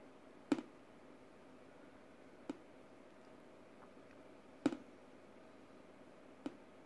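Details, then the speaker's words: HP Pavilion DV9000 laptop on Xubuntu 19.04 (XFCE): with headphones or speakers plugged into audio out, mute keeps toggling on and off, sharp clicks/pops from speakers about every two seconds; opening PulseAudio control temporarily stops it. "It keeps toggling on and off. And it also makes that that sound that comes out of the speakers."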